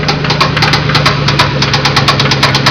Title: spun bearing.AVI